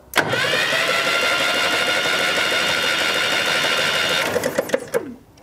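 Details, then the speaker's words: 1965 Datsun 320 pickup, start attempt after sitting 30+ years: steady cranking whir about four seconds, no firing or popping; no spark seen at plugs or points, suspected grounding out somewhere; cranks but won't start. "H kind of quit the popping but it's I don't see it sparking down there"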